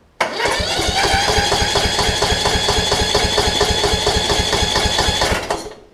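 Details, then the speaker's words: Toro Z5000 zero-turn, Kohler Courage, after valve adjustment and quick clean on the mower; starter spins about five seconds with uneven chuffing, never catches; crank no start, carburetor suspected, to be removed and cleaned. "darn i thought i could do a quick clean on it and be okay anyways uh i'll take the carb off and we'll give it a clean off of the mower"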